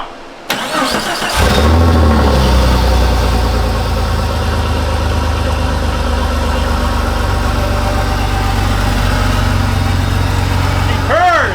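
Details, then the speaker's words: Jeep Cherokee, first start after cylinder head replacement for a popped head gasket and cracked head, before adding coolant: short crank, catches right away and settles into a smooth, even idle with no knocks or misses; normal start and idle. "smooth sounds good all right I say we put some Cooling in it and burp it now that's a win first try"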